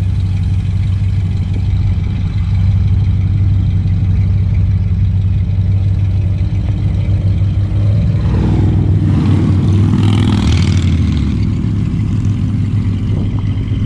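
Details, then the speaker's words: 1975 Ford LTD Landau with a 460 big-block V8, just revived after sitting in a field, dual exhaust, driven and doing burnouts: deep, even burble at idle that swells with a throttle blip around eight seconds; strong and healthy. "good thing the windows down big old 460 has some power still"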